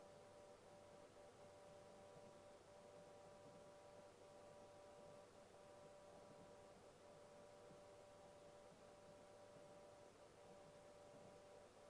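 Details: Seagate ST8000DM002 8TB hard drive, the second unit after an RMA, both making a loud steady mid-pitched hum/buzz at idle with brief dips every second or two.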